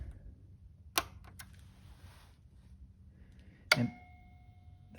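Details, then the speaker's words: 2021 Ford Transit van electrical system, with a Victron MultiPlus inverter/charger switched on: a single relay click and then a faint steady tone. It is starting normally, with 120 V AC output confirmed. "we go i did hear it click on so looks like everything's running correctly"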